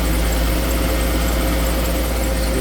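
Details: 2013 Jeep Grand Cherokee 3.6 V6 after oil pressure switch replacement with the upper and lower intake reinstalled: a steady, even, low hum at idle with no ticking or knocking.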